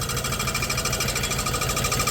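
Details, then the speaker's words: 1991 Dodge Grand Caravan SE V6, first start after 21 years abandoned, idling and not yet driving: rapid steady scraping tick low on the engine; suspected new oil pan rubbing on the flex plate or bell housing. "Where's that noise coming from? I think it's rubbing. I think it's the new oil pan rubbing on the bell housing or the flex plate."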